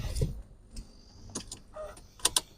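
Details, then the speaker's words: Mercedes CLK55 AMG interior: sharp, dry clicks from behind the dash, a common fault on this model and same-age C-Class; owner says the fix is replacing the blower motors; suspected climate flap actuator, not confirmed. "so the clicking noise that you can hear um from behind the dash is really common and most of these normally have this issue at some point in its life"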